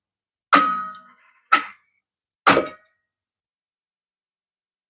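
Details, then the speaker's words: Revox B77 MkI tape deck restoration, capstan motor spinning, after fitting a new PROM control card; pinch solenoid previously wouldn't engage. Sharp metallic clunks at each button press, ringing briefly. Pinch roller solenoid now engages properly. "so let's see whoa see huh success the pinch selenoid is engaging see"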